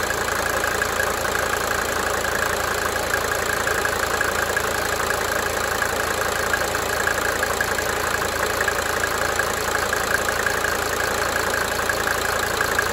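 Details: 1992 Mercedes-Benz 300D 2.5 turbo diesel at idle: a steady idle with a light injector tick, about three a second, coming and going in cycles.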